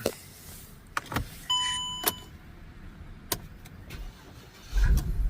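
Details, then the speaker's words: Mercedes C300 after replacing the electronic steering lock that caused no crank, no start: a few clicks and handling noises, then quick crank and engine catches at once; normal start after repair. "all right we're back here changed the uh electronic steering lock let's give it a"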